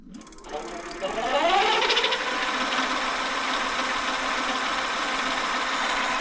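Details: Bafang G900 750W rear hub motor on a 29-inch bike at about 58 volts, spun unloaded on throttle to about 33-34 mph: smooth whine rising quickly in pitch, then steady with no grinding or clicking; healthy motor.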